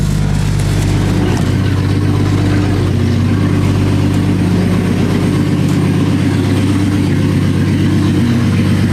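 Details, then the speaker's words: 1965 Mustang restomod driving after a driveshaft noise fix: even low engine and road rumble with no rhythmic clunk or whirr from underneath; noise gone. Normal driveshaft while driving. "that definitely fixed the noise. It is gone."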